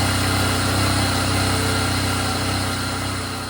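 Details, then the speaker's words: 1997 Jeep Wrangler TJ (2.5) idling with rough miss from faulty throttle position sensor: loud idle with sharp regular puffing tick about four per second over the engine; leaking exhaust manifold. "That manifold has just enough speed to be loud."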